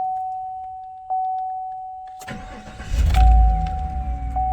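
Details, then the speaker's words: 2014 GMC Sierra/Chevrolet Silverado after fixing a no-start, click-no-crank condition: chime, brief crank, engine catches quickly and idles smoothly. "gauges will sweep after you start it but starts no problem not a problem at all"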